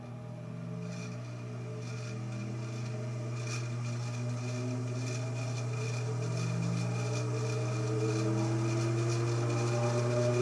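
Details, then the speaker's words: 1948 ILG 213 exhaust fan motor on its first run attempt at high speed: steady low hum with a faint regular beat that barely climbs. It never reaches its rated 1140 rpm and sounds stuck on the starter winding; low speed ran smooth. Owner unsure of correct capacitor. "so doesn't look like 11 40 rpm to me at all in fact it sounds like it's just sitting on the starter mining so i'm not going to run that too long just to be on the safe side"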